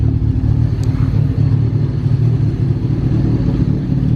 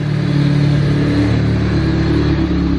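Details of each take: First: Honda Del Sol with a stock D16 and an eBay turbo kit: a lumpy, stumbling idle with irregular beats that may smooth out a little. The wideband only shows lines, possibly meaning lean. Rough idle, cause unclear. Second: Honda Del Sol with stock single-cam D16Z6 and eBay turbo kit, during dyno tuning with unknown injectors: steady, even low idle firing cleanly on all four cylinders, air-fuel about 11.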